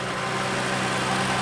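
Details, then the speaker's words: BMW E12 528i with an L-Jetronic petrol six idles with a steady, even hum and no knocks, ticks or misses; a vacuum leak and a cracked intake boot were noted, and the clutch fan seems stuck on. "listen to that baby purr got any oil in"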